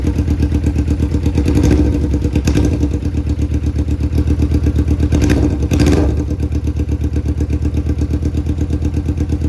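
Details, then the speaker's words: Suzuki GSX-R1000 rebuilt wreck after sitting: uneven, stumbling idle with irregular lumpy beats and brief revs, like only one or two cylinders firing; owner suspects injectors clogged again from sitting. "So, unfortunately, I think that the injectors are clogged up again or something. It's, you know, I've had the bike for 5 years. It sounds like it's running on a cylinder or two. U barely running."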